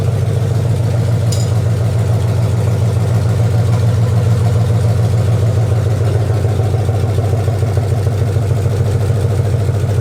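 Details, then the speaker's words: 2004 Dodge Ram Rumble Bee, swapped 6.1 HEMI V8 from 2006 SRT Charger, open headers, after plugging intake port, engine a little hot: loud deep even lope, no misses or knocks; healthy idle. "all right so we got the we got the truck up and running as you can see sounds pretty dang good"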